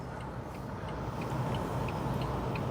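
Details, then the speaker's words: Renault Vel Satis turbo on the road, hazard lights on; crisp, even ticks about three per second over steady road rumble, flasher relay clicking normally: normal hazard flasher ticking. "Somewhere in there are flashing indicator lights, but you can't really see because it's sunny."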